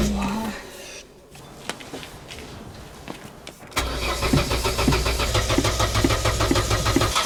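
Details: Old Opel Corsa, hard-start problem: starter churns at a steady beat for several seconds with no catch or pickup; engine cranks but will not fire.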